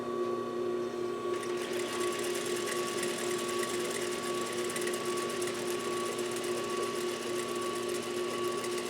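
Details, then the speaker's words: 2001 Juki DDL-8300N industrial sewing machine (5500 spm) after speed-control adjustment for slower acceleration, running at full speed: fast even stitching hum with steady high tick, no catching or knocking; normal smooth running. "So right now I've got so much more control over it, but I can also go fast."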